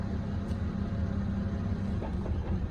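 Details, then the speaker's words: BMW E90 manual with misfires, warmed up, at idle: a rough idle with faint, irregular, intermittent clacks only with the clutch pedal released (clutch engaged), silent with pedal pressed, sometimes gone with A/C on; throwout bearing suspected but doubted. "And so it doesn't make the noise when the clutch is in. It still has the funny idle, but it doesn't make that clacking noise when the clutch is engaged. So here I go, I let it out. You can hear it immediately. It's intermittent though,"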